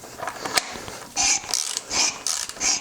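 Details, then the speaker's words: Ridge reamer in a cylinder of a 1965 Dodge Monaco engine seized for over 40 years, turned by ratchet after a slight tightening: rhythmic high metallic scraping bursts about twice a second, even and unhindered. More resistance, but cutting well without binding. "oh yeah there we go a little bit more resistance but it's not binding up so that means that it's cutting good but not too much"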